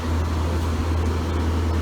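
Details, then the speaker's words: GE AEL14AVL2 window air conditioner, fan-only mode on low speed before switching to medium: low steady hum, no screech or rattle; fan motor healthy. "So that's the low speed right here. That's what I started with, so go on to medium, and you'll hear the difference on the fan speed."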